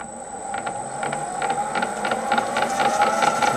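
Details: M300 gearbox with lid off, running in slow speed, oil spraying: sharp ticking knock about two to three times a second over thin gear whine; owner suspects a shaft, something seen on a dog, cause unconfirmed.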